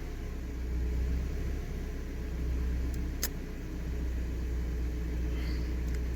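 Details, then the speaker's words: Mazda MX5 on a Speeduino ECU, fixed 15° ignition, 1 s fuel pump prime and 3 ms injector prime, right after a weak start: low uneven idle that sags and surges irregularly, never settling into a steady beat, barely holding on. "True that I released the key early and it kept fighting for its life, but this was crappy."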